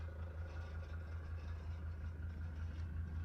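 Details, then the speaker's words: Mercedes 240D diesel junkyard car off the road about six years since 2017, just revived: low steady idle chug, smooth and even, no leaks or odd noises, little blow-by; healthy idle. "I don't see anything leaking, no strange noises."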